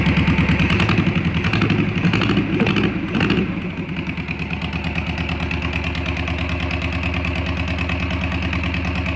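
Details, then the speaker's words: VW Beetle air-cooled engine after slightly adjusting timing, running on fuel from a bottle: brief rev, then an even, steady beat held at idle; normal idle. "that sounded pretty good"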